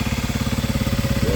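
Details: Kawasaki KLX 300 cold, with the stock airbox snorkel before the upgrade: steady, even single-cylinder thumping at about fourteen beats a second with no misses or tapping; normal idle.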